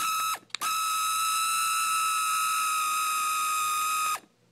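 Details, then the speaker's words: Cheap RC car after off-road use and full-throttle revving with motor removed and refitted: harsh high-pitched buzzing rattle under throttle, like teeth slipping, moving back and forth; ratcheting noise, owner thinks it's broken. "not supposed to sound like that. Whoa, whoa, whoa. That's crazy. It just moves back and forth."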